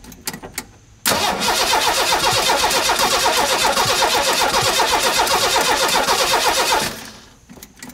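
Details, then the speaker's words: 1985 Ford F-150, 300 straight six with 240,000 miles, first restart after cam gear replacement: about six seconds of steady starter cranking at roughly four beats per second that never fires; crank no start, ignition spark being checked. "hmm doing much of what it did when i first got the thing home not start"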